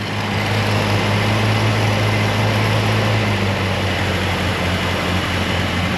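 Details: Chrysler Newport V8 with about 104,000 miles, revived after 22 years sitting, idling with a steady, even low rumble; the earlier lifter tick has completely gone.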